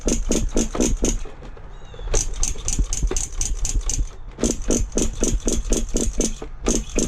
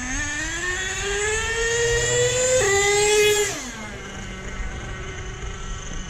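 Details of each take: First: Nitro monster truck (Paintball) in cold weather with the glow plug heated: rapid rattling starter pulses, five or six a second, and the engine never fires because the fuel tank is empty. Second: Nitro monster truck with new clutch bell and spur gears on 30% fuel, high and low end each richened half a turn, idle raised: revs climb smoothly under slow trigger pull, no stutter or sag, and drop cleanly. Engine tuned well.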